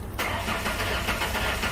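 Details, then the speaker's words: Ford Ranger with a misfire, cranked with ignition coils unplugged to check for mechanical fault: starter spins engine with an even, steady chug, no catches or clunks; no sign of a mechanical fault. "No, actually it sounds good. Alright, that's actually good. That's a good sign."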